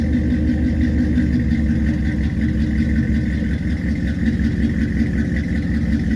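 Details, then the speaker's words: 1963 Studebaker Champ pickup, reassembled and spark restored, before road test; fires right up into steady, even idle with smooth low rumble, no misses, knocks or ticks. Normal idle. "Thing fires right up. Yeah. What a fine unit."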